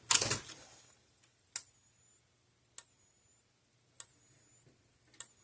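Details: Gallagher 12-volt electric fence energizer (E12/B150/B160) being repair-tested on a bench power supply at about 13 volts: sharp single ticks roughly every 1.2 seconds with a brief ringing tail, sparking normally.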